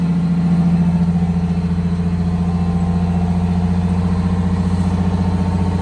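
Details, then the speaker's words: 1962 GM bus conversion with a Detroit Diesel 6V92TA and Williams air throttle and actuator. Held at cruise/fast idle with a steady drone and faint turbo hiss, revs come back down slowly. Slow throttle return to idle. "Came back kind of slow."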